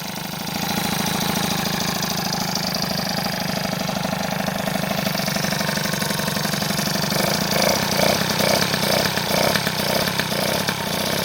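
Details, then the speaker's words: Freshly assembled 70cc two-stroke engine sealed with gasket paste: fast, even crackle holding a steady idle without hunting, so no air leak; stable idle. "plus voilà le régime est stable ça c'est cool ça veut dire qu'il y a pas de prise d'air"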